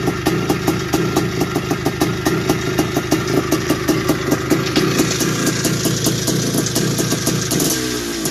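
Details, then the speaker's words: 1981 Suzuki RM465 barn-find two-stroke, first start after sitting (fuel poured down plug): sharp metallic ticking about four times a second over ring-ding idle, rising with throttle blips; top-end rattle suspected, heavy smoke suggests blown main seals, unconfirmed. "so no it sounds like it needs a top end or something sounds a bit rattly and it could even have a blown sure by the amount of smoke that was going out the back"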